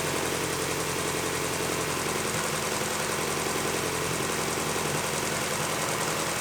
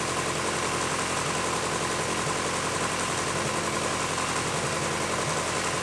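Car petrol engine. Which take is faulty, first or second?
second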